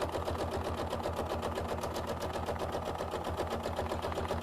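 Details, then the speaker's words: Sewing machine quilting a small quilt-as-you-go piece of batik: steady hum with an even light tap near four per second as the needle punches through stiff sizing and leftover wax in the fabric, which is normal. "hear it tapping can you hear that Emily I really like that that's the sizing in the batik fabric sounds like when you when you stitch over place"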